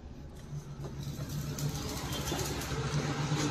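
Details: Maruti Suzuki Alto 800 idling unevenly with a stumbling beat, check engine light blinking, pickup dropping; cylinder 1 misfire (P0301) from a failing ignition coil.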